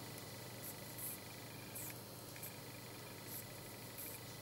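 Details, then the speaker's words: Power supply board after changing a resistor to 470 ohm: faint, high-pitched chirps about once a second over a thin steady whine, whistling slightly less but still present; cause not confirmed. "Шумит, зараза, все равно. Свистит чуть-чуть меньше стало, но свистит."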